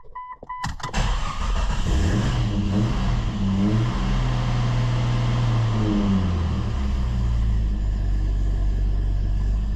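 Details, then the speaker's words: 2000 Jeep Cherokee 4.0L hard start: engine catches, stalls unless throttled, revs rise and fall then settle to idle once past the first second; ASD relay in underhood fuse box buzzing. "So it's hard starting. The ASD relay is buzzing away like crazy. But if you start it and you give it some throttle, you can get past that first second or so and it'll run."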